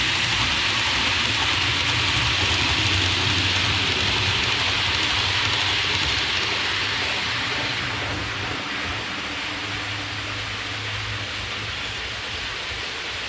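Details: Hornby APT model train after cleaning the wheels and copper pickup contacts: soft steady rolling hiss with a faint regular rail-joint click, no wheel squeal; squeak fixed, one bogey still squeaks slightly.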